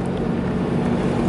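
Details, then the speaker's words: RAM truck front axle at crawling speed after track/panhard bar replacement, suspected fix for earlier grinding from down low at the front: only low even road rumble, no grinding or growl; differential sounds healthy, owner hopes it's fixed. "I don't hear anything I so hope I saw hope it's good"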